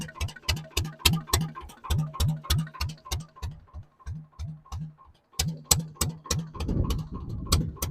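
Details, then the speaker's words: Barn-find dumper's old single-cylinder engine, first run after sitting, with WD-40 on the crankshaft and compression confirmed: slow uneven thumping at about three and a half beats a second, a dropped beat partway, very smoky; running rough. "that does not sound good better see if the fire and all sorts of caught out there that is very smoky"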